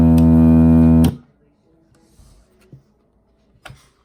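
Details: Tivoli Model One radio on 12 VDC: no FM reception, weird AM noise, then a loud steady foghorn-like drone unaffected by volume or mode knobs (immediate on AC power), from a faulty 78L08 8 V regulator; fixed by replacing it with an L7808.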